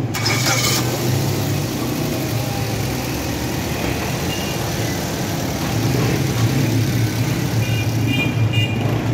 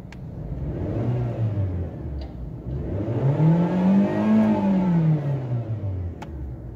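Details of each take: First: Japanese automatic Suzuki Swift that misfired at slow running, restarted after refitting the oxygen sensor: the engine settles into a smooth, even idle with a steady low hum for about thirteen seconds, then shuts off cleanly; normal idle. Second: Japanese automatic Suzuki Swift that misfires at slow running and in D or R with the brake held: free rev in park climbs and falls smoothly with no stumble or misfire.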